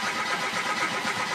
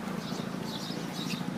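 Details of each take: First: Chevrolet Aveo, before ECU repair: brief even cranking that never fires. No ECU communication, no fuel pump operation and no spark at the plugs because of a failed ECU. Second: Chevrolet Aveo petrol engine after repaired ECU restored communication, fuel pump and ignition: steady even idle hum after a brief start-up, no knocks or misses; engine runs normally.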